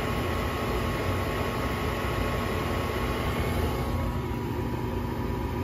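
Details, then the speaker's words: York 80% gas furnace, emergency no-heat call with pressure switch cycle lockout (6 flashes): after a thermostat power cycle, a steady whooshing inducer motor hum with no ignition click or burner light-off; main control board later replaced as defective. "you know if if the inducer motor is running and the and the pressure switch is not sensing it it's going to say that the pressure switch failed to close"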